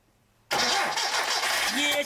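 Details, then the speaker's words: Car that would not start after its plug leads had been removed: a sharp backfire pop while cranking, then a ragged run. Plug leads were reconnected out of firing order. Backfire from crossed spark plug leads. "мужики есть Так стрельнула а теперь мужики вот Что смотрим Вы снимали провода Да снимали"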